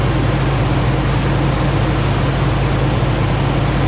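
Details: Rebuilt 2009 Hemi 1500 V8 just after first start: steady, even low rumble, no knocks, misses or surging; smooth idle at about 87 psi oil pressure, no longer jerking.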